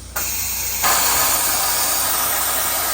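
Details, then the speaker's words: Truck/trailer lift axle being lowered after fix with small flathead screwdriver: sharp steady hiss of air venting from two lines, surging louder; axle drops normally to put weight down. "that's that air you hear coming out of those two lines. Once that axle's down, we're putting weight down."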